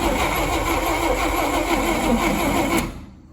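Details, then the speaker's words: 1959 Rambler, 195 flathead inline-6, automatic, parked for years, full 12 volts fed to coil; uneven cranking chug about three beats a second, catching but never picking up; spark present, owner suspects it needs more fuel priming. "definitely seems like it's fighting against some ignition now yeah we got spark maybe it's been a while since i primed this thing maybe just need some more fuel"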